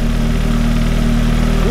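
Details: Audi idling after the twisted in-tank fuel pump was repositioned: a steady, even idle with a regular low pulse and no misses or knocks. Running properly.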